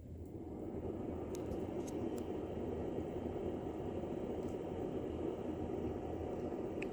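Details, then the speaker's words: Powersmart S5150 500 W 461 Wh power station cooling fan with about 300 W load: soft, even fan rush after spin-up, no rattle or whine; normal. "and that's the fan that is making with about a 300 watt load"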